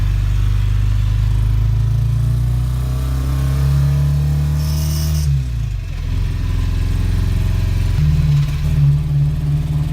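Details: Engine with a rod knock treated with a milkshake, described as idling better afterwards, yet running unevenly. Revs surge and sag over a rough, irregular thumping underneath, the sound of a worn rod bearing knocking.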